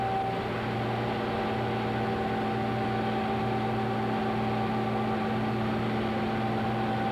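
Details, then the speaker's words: Staley Sagamore cogeneration plant, heard from beneath the coal pulverizer gearbox with the mill running; no noise from the mill itself, only the gearbox: steady gear hum with clean tones, no knocks or grinding; normal gearbox hum. "here we're standing underneath the gear box now and as you can see the mill is in operation there's absolutely no noise coming from the mill"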